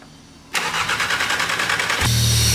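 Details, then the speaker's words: Golf GTI Mk7 Stage 4 EA888, cranks about 1.5 s then idles with a steady airy hiss from an open crankcase breather/PCV hose left disconnected; vacuum leak from the disconnected PCV hose, no blow-by noticed at the rear outlet. "Esse barulho tá fazendo é porque tem uma Mangueirinha que tem aqui no entanto original e tal aquela fuga tá vendo ó por isso vai fazer esse barulho aí"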